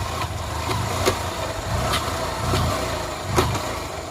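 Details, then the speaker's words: Honda Shine motorcycle after chain repair: engine pulls with an even, unbroken note, no chain rattle or slapping, strong pickup when the clutch is released; the earlier chain noise is gone and the drive sounds healthy. "బండి ఇప్పుడు sound అనేది రావట్లేదు చూడండి బండి ఇప్పుడు మస్త లేస్తుంది అన్నమాట"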